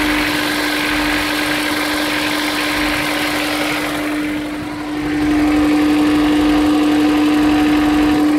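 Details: Honda S2000 at cold start idle: steady hum with a light, even tap about four times a second; owner suspects rod knock, not confirmed.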